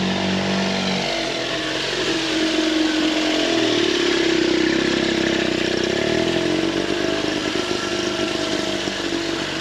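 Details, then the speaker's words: 1911 Scott two-stroke motorcycle, first start after mechanical restoration, with cleaned carburettor air holes and an AMAC carb: light buzzy lawnmower-like drone at fairly steady pitch, running sweetly. "it's got the little fella fired up listen to that sounds like somebody mowing their lawn"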